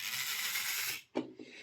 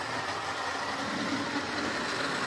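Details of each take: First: Jouef HO scale Class 21/29 model locomotive motor: dry high-pitched rasping grind then clunk as the worm gear binds, having ground brass dust off the gear; washer fitted to raise gear, lubrication improves running. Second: Jouef (or possibly Playcraft) HO scale Class 21/29 model locomotive after repair, with its original motor, run on the layout. A loud, coarse whirring buzz swells and fades as it runs round. Normal running, noisy gearbox.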